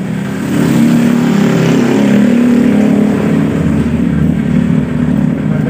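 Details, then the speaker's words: Honda Vario 125 CVT with all CVT-case components removed; the final gearbox is turned by hand and gives a soft, even whirr with no clicks or grinding, showing normal final gear rotation and no gearbox ratio-gear problem. "Kita putar dulu. Bisa teman-teman dengarkan, ini suaranya lembut. Ya."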